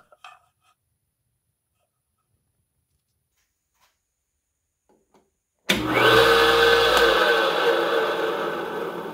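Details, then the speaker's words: Restored dumpster-found Black & Decker Model 74 8" bench grinder, first run after reassembly: motor spins up to a steady, clean hum with no grinding or rattle, running healthy. "that was music to my ears."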